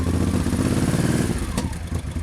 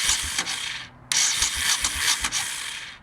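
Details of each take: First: 1989 Honda VT1100C Shadow Spirit V-twin at idle: deep, lumpy steady beat, no knocks or rattles; runs normally, though owner hears a mystery sound near the left crankcase starter when switching off. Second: 1989 Honda VT1100C Shadow Spirit cranked with the engine stop switch off: two cranking bursts, each ending in a brief backward whir and clunk as the starter stops, heard around the starter on the left crankcase; cause unknown, owner wonders whether it is the starter.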